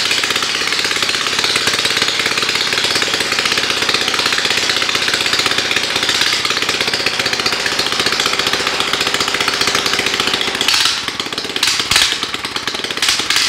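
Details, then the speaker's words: 1960s Norwegian MotoStandard Steel Trac tractor, with an 8-9 hp four-stroke, left for dead in a forest. Loud, raspy, ragged buzz that stumbles. It runs lean at low rpm because mangled carburetor jets left it short of fuel. "it runs but it sounds like it's not getting enough fuel at the low rpms"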